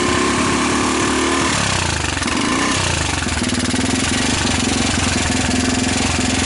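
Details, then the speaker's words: Rapidity GY6 150cc quad with a PZ27 carb, now on a proper GY6 CDI with the idle turned up: buzzing hard with pitch dipping then climbing; revs up better but still rough, not perfect; the pulse generator looked suspect. "okay seems to be running seems to rev up better but i wouldn't quite consider it perfect"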